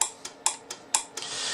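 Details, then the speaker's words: Collins R-390 receiver, transmit/receive muting circuit repaired; antenna relay K101 and relay K602 cleaned with contact cleaner after about 56 years of gummed grease: crisp, clean clicks in quick pairs, about four in under two seconds, with no chatter or buzz. The relays are switching normally. "they're assuming that everything is right listen to it hear the relay working"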